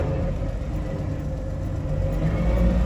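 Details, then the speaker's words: 1959 Chevrolet Apache 32 long-box Stepside pickup backing slowly in reverse: a steady mid-pitched gear whine over low engine rumble, a normal reverse whine. "I love the wine reverse makes"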